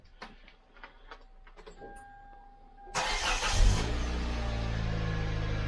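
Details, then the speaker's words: 2010 Kia Soul+ after exhaust repair (cracked pipe welds fixed): brief crank, then a low, even, quiet idle with no exhaust rumble or blowing, much quieter than before; normal idle. "Oh, that's so much quieter. Oh, that's so much better. Like, it was already better when I did the repairs I did, but now Oh, yeah. No rumblies, no nothing."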